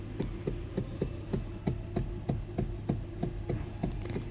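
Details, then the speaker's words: Hyundai steering column: quick hollow knocks about three a second over a low hum, from a worn rubber coupler between the electric power steering motor and steering shaft; cheap, straightforward part to replace. "if you have this problem in your hyand it's a steering column rubber that's the rubber in between the steering motor the power steering motor and the um the steering shaft that goes through the steering"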